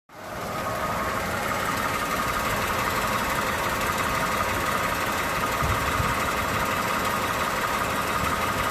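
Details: Toyota 2GR-FE V6 at idle: fast light uneven ticking, around three ticks a second, over a steady idle hiss; top-end ticking noise.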